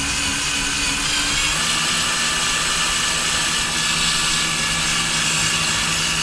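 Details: Drilling a steel hole on a 2019 Ford F-250 Super Duty to fit a Torklift StableLoad, bit lubricated: steady high hiss at constant speed with no chatter or squeal; chirping gone, cutting cleanly under more pressure.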